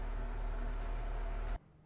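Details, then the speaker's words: Bathroom exhaust fan after motor replacement and freeing a damper flap that a plastic piece had held shut, tissue test shows strong airflow: steady, even hum with no rattle or scraping until switched off; normal fan operation. "so now we just throw that tissue up there and definitely we're moving there holds that tissue right in place so this should be much better"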